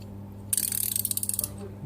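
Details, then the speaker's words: Newly bought ratcheting wrench set, 19 mm and 17 mm wrenches: quick run of about fifteen crisp, even ratchet clicks over a second; some play noted, less on the 17 than the 19, but the pawl engages cleanly and the ratchet works normally. "принципе нормально работает посмотрим так этот на 19 этот на 17 люфта меньше чем на 19-м трещотка тоже вроде работает"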